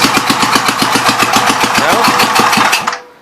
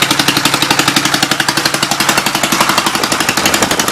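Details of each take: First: 1952 Gravely Model L walk-behind tractor single-cylinder, warming up, burning oil off cylinder, good oil pressure, no blow-by: uneven faltering firing then abrupt stall; not out of fuel, owner suspects throttle worked down. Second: 1952 Gravely L single-cylinder, warming up, leaking oil but no blow-by or smoke: steady, even chuffing with no missed beats or knocks; runs surprisingly well.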